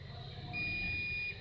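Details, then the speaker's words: Dead, non-working welding machine being repaired: one steady high multimeter beep under a second across two power transistor pins shows a dead short; transistor is blown: shorted power transistor. "This one is blown completely. You look at it. You look at it. You see it's blown already. See this one is blown."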